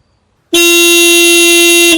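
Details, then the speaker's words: Skoda Fabia Mk1 1.9 PD single horn, pressed while back-probing contacts with multimeter; open circuit on press with brief 2.3 V spike. Clean strong single-note blast about 1.5 s, stops cleanly; horn working properly. "I'm pretty sure my multimeter's working perfectly, and as you can hear, the horn's working perfectly as well"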